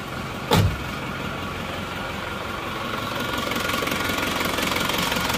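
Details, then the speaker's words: Isuzu Panther diesel, cold morning start before repair, with compression as low as 15 bar: rough, clattery, uneven idle while smoke already comes from the oil filler even cold, showing ring wear and blow-by. "dingin Oke ternyata emang sudah mulai ngasap di se kulinya kondisi mesin masih belum panas sudah ada keusan rer ya"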